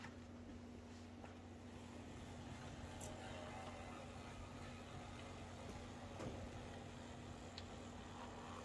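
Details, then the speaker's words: Athearn Genesis MP15 locomotive rebuilt with NCE DASR decoder and Mashima motor, test run on track: quiet even motor hum, no stutter, buzz or grinding; judged good to go. "good sounds pretty good actually we're going to call it that one is good to go"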